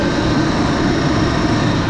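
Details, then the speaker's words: Corn planter in the field, vacuum fans at working speed: loud even roar with a steady underlying howl, no knocks or surges; normal operation. "so you can hear my fans howling away uh I have gone this fast"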